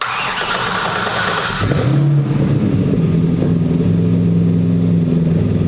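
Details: Mid-engine LS-powered 1967 Mustang Fastback with direct port nitrous and brand-new fuel system, primed several times after a power lug connection was fixed: starter cranks briefly, engine catches cleanly and settles into a steady even idle, no misses or knocks. Healthy start.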